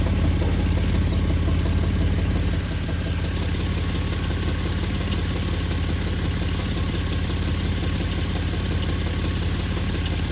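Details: 2011 Jeep Wrangler JKU after oil change: low rhythmic clunk about twice a second at idle from engine bay; owner unsure whether engine or worsening exhaust leak.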